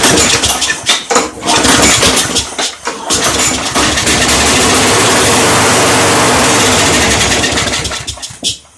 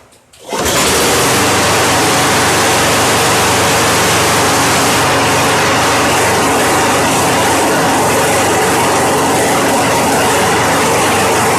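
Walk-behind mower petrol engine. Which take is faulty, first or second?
first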